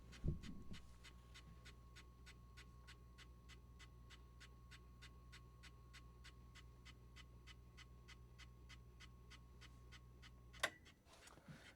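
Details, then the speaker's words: Leslie 147 speaker cabinet motor, switched on before maintenance: a light, regular scrape about three times a second over a steady motor hum; an O-ring is suspected of rubbing. "Okay. So, we're getting that scraping. All right. All right. So, I think it's that O-ring right there is rubbing."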